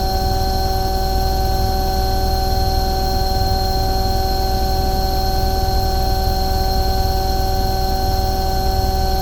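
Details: Omni/EconoHeat/Morrheat waste oil heater burner after cleaning the burner and nozzle: constant smooth roar with steady hum tones, no sputter or surging; firing cleanly, "running beautiful" at about 12.5, smoke clearing, normal running.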